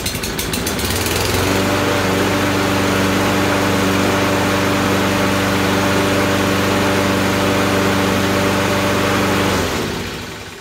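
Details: Toro push mower with Kohler engine, after repair of a no-fire fault (water suspected inside): it catches on the pull and holds a steady, even single-cylinder drone for about eight seconds; running normally.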